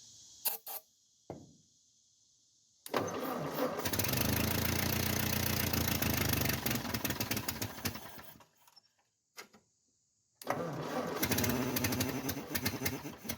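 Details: 1949 Ford 8N flathead tractor, first run after a possibly rebuilt carburetor and with spark present, timing and gap unchecked: cranks, catches, runs with a steady, slightly uneven beat, stalls and restarts. Runs okay; possible exhaust leak at a known leaking flange.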